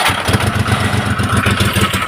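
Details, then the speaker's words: Old Maruti Omni MPFI without immobilizer, check light on: after cranking, the engine chugs into an uneven low pulsing run, then dies within seconds; it sometimes won't start at all. "देखें start हुआ गाड़ी हमारा बंद हो गया यही होता है कि गाड़ी स्टार्ट होता है थोड़ा देर और कभी-कभी स्टार्ट भी नहीं हो पाता"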